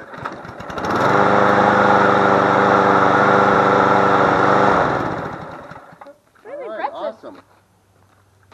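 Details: Push mower single-cylinder engine moved from a rusted-out deck onto a different MTD deck, started first try after priming. Catches and runs at a steady, even buzz for several seconds before shutoff. Sounds healthy.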